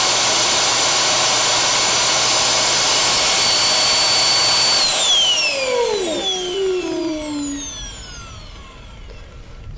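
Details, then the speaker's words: Dyson vacuum with a non-working roller brush, brush motor loose on the bench with suction switched on: loud high-pitched whine runs steady then sweeps down as the motor winds to a stop; cutout cause unknown. "that's what happened I think I had it on all the way but it stopped which not sure why it stopped"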